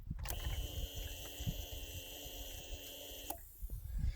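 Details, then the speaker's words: Yamaha SR400 at key-on: steady electric whir about three seconds, then clean cut-off; normal fuel system priming before start. "here's the on button watch I'll turn it off by turning on you can hear the fuel injector going"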